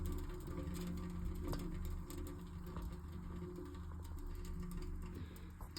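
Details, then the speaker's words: Homemade oil-fired stock tank heater, 3.0 version, lit in an icy tank: steady deep low roar as air draws hard into the burner down the chimney and the flame pulls sideways. Oil is turned up and regulated, set for about 170°. Normal strong, even draft. "Flame's going sideways there's actually you can feel the air coming in but here listen you hear it so I turn the oil up need to regulate this fire by just adjusting this"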